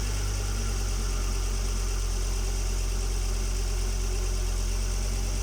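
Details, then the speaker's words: Volvo XC90 2.5T turbo petrol on cold start at idle: faint constant high whistle over the engine rumble, from the turbo area under the exhaust manifold. "хотел бы показать как при холодном пуске происходит свист в зоне турбины"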